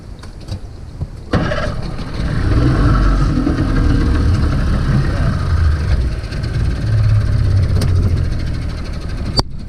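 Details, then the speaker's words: Mercury 50 hp outboard on a pontoon boat with a rough idle and stalling complaint, restarted after work with the cover refitted. It fires and runs briefly, then the idle sags and wanders lower before cutting out; the cover is suspected of touching or pinching something. "again it's going down it's going down why cover do something that's a question is it cover touching try it"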